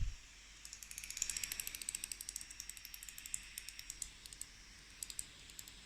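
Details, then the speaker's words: Fast irregular high-pitched clicking over loud fan hiss from a Dell Inspiron 5482 2-in-1 laptop under heavy graphics load playing Football Manager; a replacement unit. "At the moment, I've got the graphics working quite hard playing Football Manager, and I've noticed there's this bizarre clicking noise."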